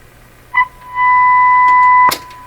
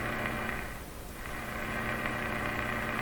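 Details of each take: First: Canadian Westinghouse Model 684 radio, broadcast band, fed a fixed-frequency test signal to check the IF bypass: steady, clean tone from the speaker with no hum or distortion; signal passing properly. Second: Canadian Westinghouse Model 684 radio with bypassed second IF transformer, volume full, antenna grounded, tuning very weak; steady loud hiss and hum with a faint buzzing pattern, no station; powerful interference signal in the shop, cause suspected, not confirmed.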